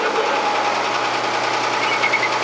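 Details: Volvo 36 hp 3-cylinder diesel in a Fisher 30 sailboat: steady even idle with a smooth unchanging drone and no knocks, misses or surging; healthy.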